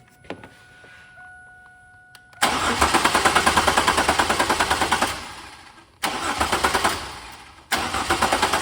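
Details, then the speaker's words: 2000 Chevrolet Camaro that was trailered home. The starter spins the engine in quick, even bursts of about three turns a second, but it never catches: cranks, no start. A wiring-harness fault is suspected after taped wire repairs were found, unconfirmed. "still not cranking or it's cranking but it's still not starting so try from here"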